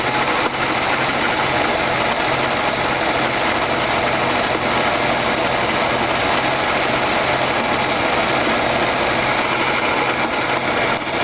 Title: weird noise from tranny area